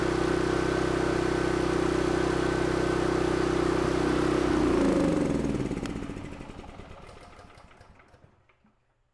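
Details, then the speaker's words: Mi-T-M 4000 PSI pressure washer engine with a full tank of good-looking fuel: an even chug at about four beats a second that slows and dies without choke, puffing. Owner suspects the carburetor needs cleaning. "definitely puffing. I'm having to choke that rascal down to keep it running. Looks like I'm up for another carburetor cleaning."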